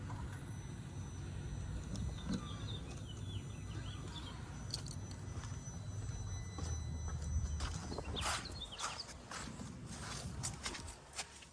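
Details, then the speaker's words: 2004 Mercedes S55 AMG W220 with water and condensation in the front engine fuse and relay boxes: irregular relay clicking bursts with key out of the ignition, modules activating and cluster lighting, caused by water shorting power to ground. "It was clicking. And I could hear something was activating as if you turn the key. Now, of course, there it goes. You see that? Now, the key is not in the ignition. That's caused by that water over here."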